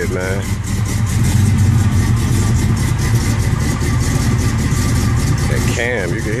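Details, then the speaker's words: 1969 Impala small-block Chevy, Holley carburetor just adjusted: deep V8 idle with lumpy loping beat about four pulses a second from the cam; running fine. "you can hear that cam though."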